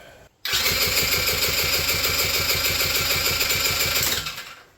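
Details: Quad that will not start, cylinder already soaked in oil and given a shot of ether: fast, light, very even cranking at about eight beats a second with no firing; no compression because the intake valve leaks.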